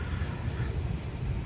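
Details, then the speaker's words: Second-generation Renault Logan that knocked on pull-away and braking, now driving out of the garage after replacing the worn left gearbox mount: smooth low drivetrain rumble, no knocks or clunks; the mount holds firmly. "Ну вот друзья Всё собрал поехал выехал с гаража вроде бы всё так нормально ничего сейчас не"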